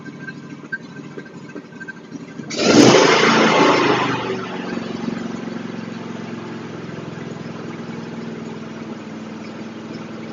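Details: John Deere LA145 riding mower, 40 cubic inch engine, sat outside all winter, just serviced with fresh oil and filters: quick crank catches at once with a loud rev, then settles into an even, steady idle with no misses.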